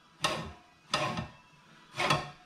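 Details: Scotts Classic 20-inch reel push mower after blade adjustment: three short light whirring rasps as the reel is spun by hand, blades just kissing the bedknife; adjustment is set right.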